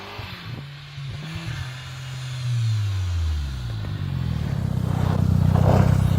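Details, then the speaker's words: Audi/VW 1.8T after fitting bigger injectors and a new metal bypass valve in place of the plastic one, cone filter fitted: revs climb and drop with a rough pull, then a soft whoosh as boost releases; normal diverter valve venting, sound amplified through the cone filter. "Aga miks ma vahetan on ikkagi sellepärast, sest selle klapiga ta teeb natuke teistsugust väheke õemat häält, kui ta rõhu maha laseb. See hääl siis põhimõtteliselt võimendub siit koonusfiltri abil."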